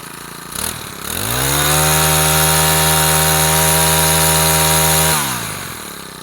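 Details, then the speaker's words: Used Honda GX35 brush-cutter engine, fully rebuilt with new air filter and throttle handle but original carburetor, tested before shipping: starts easily, picks up cleanly to a steady high buzz and drops back smoothly, no smoke, healthy running. "เลยนะครับไม่มีควันไม่มีหลวมสตาร์ทติดง่ายเลยนะครับ"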